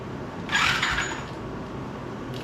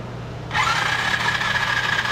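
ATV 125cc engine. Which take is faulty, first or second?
first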